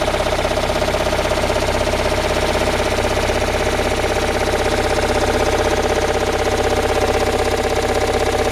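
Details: Toyota Raum 5E-FE engine after rebuild, idling: a sharp, regular internal knock about four times a second holds an even beat over the steady idle; cause unknown.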